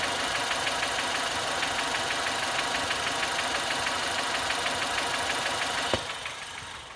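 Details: 2016 Ford Fiesta ST engine at idle: a sharp, even tick about three times a second over a steady idle; engine knock, cause not pinned down.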